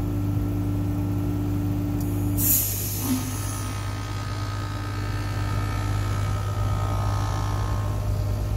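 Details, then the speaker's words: Heat pump switched from cooling to heating at the thermostat: steady compressor hum, then a sudden loud hiss fading over about a second as the reversing valve shifts. A normal, healthy changeover. "is the valve switching inside the unit itself switching back and forth between heating and cooling"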